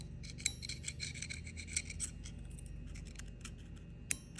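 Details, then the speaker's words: CFMoto boosted engine after water/clay ingestion, crankshaft removed: a pick scraped along the journal gives a raspy drag that catches on a ridge; crank is trashed, possibly polishable. Scored crankshaft journal. "I don't know if you can hear that it catches it trash the crank okay"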